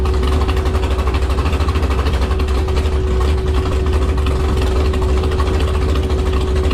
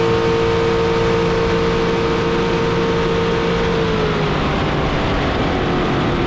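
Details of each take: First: Jet boat with a rebuilt 632ci big-block Chevy at wide-open throttle on the lake. Holds one fixed, flat high drone under load and won't climb past 5,000 rpm; sounds stuck on a rev limiter. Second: Carbon fiber jet boat with rebuilt 632ci all-aluminum big block Chevy, about 1200 hp, on a lake pass: steady strong roar under water and wind rush, pitch dropping smoothly as throttle eases; normal running at speed.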